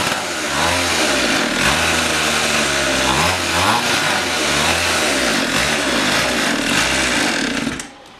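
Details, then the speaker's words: Rebuilt pit bike single-cylinder, first run after the rebuild with the exhaust left off. Raw, loud bark rising and falling with the throttle, harsh popping and booming; running open with no exhaust fitted. "Guys, there's no exhaust on it. We didn't. Oh yeah. Oh, that's what that rattling."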